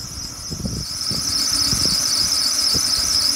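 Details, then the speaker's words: BMW 728i E38 running engine: loud, steady, very high-pitched squeal; workshops blamed the drive belt, tensioner and idler pulley, which were replaced. "Also, ihr hört das bestimmt schon, der quietscht. Und woran liegt das?"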